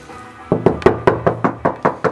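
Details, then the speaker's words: Knuckle tap test on the opposite quarter panel of an R32 bought as an auction grade R car: nine quick taps give a dull solid thud with no hollow ring; Bondo body filler under the paint. "One side you can hear it, this side you can clearly hear that there's Bondo all over."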